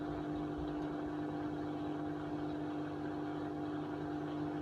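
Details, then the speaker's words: Hotpoint Aquarius 6 kg WMA50 washing machine on a test wash after a new suppressor was fitted; the old one arced and tripped the consumer unit. With a small load it was too wobbly, so it stops and retries. Steady hum and drum churning. Load-balancing tumble. "quite wobbly though I think it thinks it's too wobbly so it's going to try again it's a bit better so because it's only a small load it's hard for it to balance it evenly stopped again try a third time"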